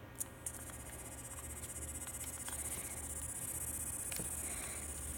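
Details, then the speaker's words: Telephone line test set, 49 years old, plugged into an analogue line with the listen button pressed: faint, steady dial tone barely above the hiss. The volume control pot spins endlessly and is suspected of causing the low volume. "not very loud that's the issue with this F set things out very loud no problem"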